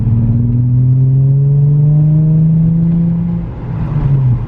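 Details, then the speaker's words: Nissan 350Z after misfire repair (faulty coil pack replaced, dirty MAF sensor cleaned), warm, no check engine light: engine note climbs smoothly and evenly under throttle with no stumble or popping; normal engine acceleration. "check engine light we have no misfire i don't feel anything weird sounds great so crazy"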